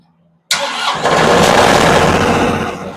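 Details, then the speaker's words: Yanmar diesel generator set, pushbutton start: silence, then a quick crank and it catches at once and settles into a steady, even run with fuel flowing. A clean, healthy start. "Oh, now it's doing things it's supposed to. Making noises. There's fuel."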